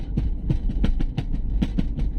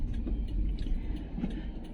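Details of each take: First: Toyota Avanza on the road, listening inside the rear door: irregular hollow knocking and rattling several times per second over low road rumble; door rattle traced to the loose central lock actuator, door then dismantled to fix it. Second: Toyota Avanza after tightening loose door-panel parts to cure a rattle while driving: only low steady road rumble inside the cabin, no ticking or buzzing from the door; rattle gone.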